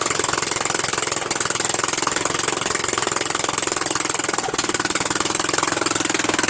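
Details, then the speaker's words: Murray Widebody LT 14.5 42" lawn tractor small engine at a steady fast idle after first starting on added gas: harsh, rapid unmuffled popping, raw and very loud, because the muffler is missing. "as you also saw it is louder than hell right"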